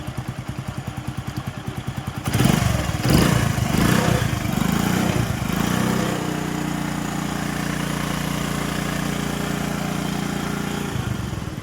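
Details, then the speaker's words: Honda/Hero HF Deluxe bike after full timing chain kit replacement: kick-start pulses, a few throttle blips, then a smooth steady idle with no chain rattle or ticking; timing chain noise gone. "चलिए कुछ भी extra sound नहीं है इसमें। बिल्कुल आवाज खत्म हो चुका है टाइमिंग चेंज का।"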